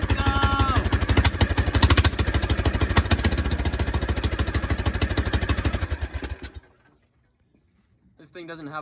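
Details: Old golf cart engine with a suspected bad fuel pump and tight fuel line, started with a jump box: a single-cylinder putter at about three beats a second, rough but steady until shut off. Engine shaking is normal for it.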